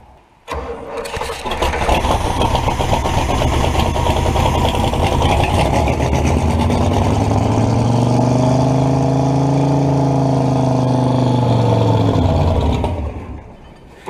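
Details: Buick 455 V8 mud truck, first start in about 10 years after filling the float bowl and priming the pump: it cranks, catches within a second, settles to a deep rumble, then revs up and back down. It runs, with an oil leak at the valve cover.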